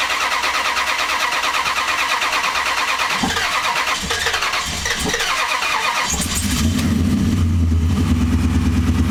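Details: 2004 Dodge Ram no start; starter churns steadily with uneven pulses, then speeds into a rougher whirr without catching; cranks but won't start.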